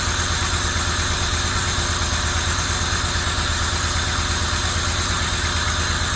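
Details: 1990 Camaro RS after 12–13 years sitting, new fuel pump, plug wires corrected to firing order, timing not yet set: loud steady idle with constant even pulse, no knocks or misses; normal idle.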